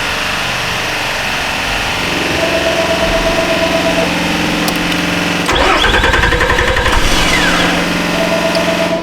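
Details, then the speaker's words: 2008 Nissan Frontier 4.0 being repaired for no low beams, key turned after fuse/relay work: starter cranks steadily with chime but engine never fires; possibly three empty fuse slots (15, 16, 17) cutting power to the engine. "Well, the key is on, the truck does not run."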